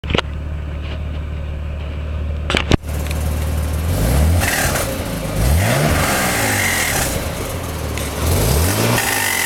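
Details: 1991 Nissan 300ZX twin turbo revved repeatedly from idle: a brief higher whistling noise each time the throttle is released; cause unknown.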